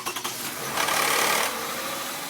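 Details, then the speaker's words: 2009 Toyota Highlander 3.5L V6 2GR-FE, cold start: harsh metallic rattle lasting a second or two after firing, then fading; known VVT gear rattle on cold start, gears to be replaced with engine removed. "but it did have issues with vti gears which is what this car is in for so this car has a rattling on cold start for a few seconds then it goes away"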